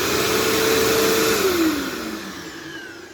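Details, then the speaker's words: New old-stock 2007 Bissell PowerForce (3525-2) upright vacuum with a 12 amp motor, louder than 10 amp models, freshly unboxed: an even, steady high motor whine with airflow rush, then the pitch slides down smoothly at shutoff. Runs normally. "But yeah, the 12 amp motor is definitely louder than the 10 amp motors, so I might actually still prefer these, but it doesn't matter."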